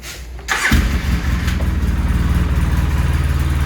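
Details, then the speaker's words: 2003 Polaris V-twin ATV, about 240 hours and 1,900 miles: brief starter whirr, catches within a second and settles into an even, steady idle; healthy quick start, starts this fast every time. "it starts like that every single time whether it's been sitting a day or two days or whatever it starts that quick every single time"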